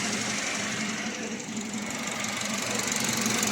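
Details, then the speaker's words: Engine after a top overhaul following flood submersion, saving the owner a full engine replacement: starts on one click and settles into a steady, quiet idle with a light, even tick about four per second and no misses or heavy knock. Normal idle. "So yan, ayos na, madali naman siyang pandarin, one click start."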